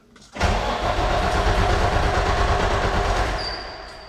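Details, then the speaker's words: Kenworth T300 with a Cummins ISC: the starter cranks steadily, about three times a second for three seconds, but the engine never catches. The dash shows no data and no engine lights. "we see that it does not start in this case we were able to identify two main symptoms"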